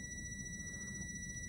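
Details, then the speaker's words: Relay tested off the car: the coil is energised on 85/86 with an audible click, and a steady meter beep confirms continuity between 87 and 30. The relay is working properly. "turn it on you should hear the click sound yes I hear the click sound"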